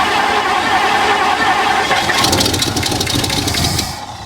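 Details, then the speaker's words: 1964 Mercury Montclair V8, abandoned 28 years in Arizona, fuel pump hooked up: rapid uneven cranking catches into a ragged firing roar then eases off; starts and runs easily. "she's a runner wow that's too easy we never get that"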